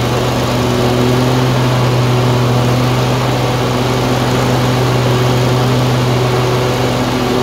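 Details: Tecumseh 22 HP twin-cylinder engine surging, hunting unevenly, with beats dropping out at irregular moments as each cylinder misfires alternately and at random.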